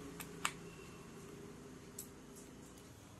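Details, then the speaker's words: LoRa receiver (NodeMCU ESP8266 with an RA02 433 MHz module) with an LED on a relay: faint, sharp dry clicks at irregular spacing in a quiet room as the relay switches on received data; normal, no buzz or chatter. "here is also in the receiver section there is also a led light which is attached with a relay so you hear the clicking sound"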